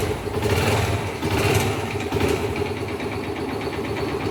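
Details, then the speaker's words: 2013 Factor 125 single, low mileage, oil change overdue and oil ran low: uneven revving with a dull rattling knock over the engine note. Piston slap from oil starvation is suspected, pending teardown. "Por falta de óleo, deve ter. É bem provável que seja pistão, né?"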